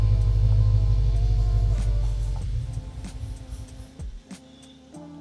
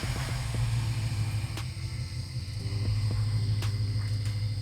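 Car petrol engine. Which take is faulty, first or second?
first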